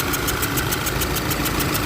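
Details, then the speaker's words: VW GTI with misfire, idling with a sharp rhythmic puffing hiss about seven times a second from under the intake manifold; idle unchanged when sprayed with water; original hard-plastic injector seal found burned out by combustion gas; before repair. "I found out there is no uh seal you see the seal it was burned out because of the combustion yes and this is the original seal"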